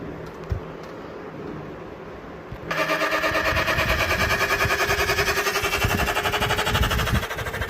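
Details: Voltas inverter air conditioner: right after switch-on a loud fluttering whir starts, pulsing about three times a second, an abnormal running noise with no clear cause.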